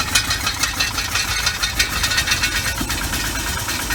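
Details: Volvo bought at auction, about 200K, running cold with a check engine light on: uneven, lumpy idle with irregular stumbles about once a second and a light rattle; owner expects it to improve as it warms; cause unconfirmed.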